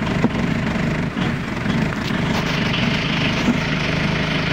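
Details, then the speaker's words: Audi 80 B3 1.9 TD diesel just after a cold start at about 0 to -1°C, unused for 2 days: steady, even idle clatter with no misses or extra knocks over a fairly noisy backdrop. A healthy cold idle. "Hvala Miran. To je taj zvuk tog 1.9 TDI-a."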